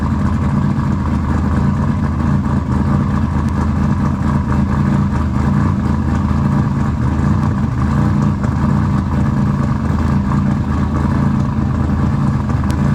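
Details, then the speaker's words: Engine just started after installing RJC V-Band exhaust gaskets: strong, steady low rumble holding even through throttle blips, no puffing or ticking from the pipes; exhaust sealed, running healthy. "all right guys as you can tell we got it running she's running can y'all hear it can you hear it is it loud you like that sound"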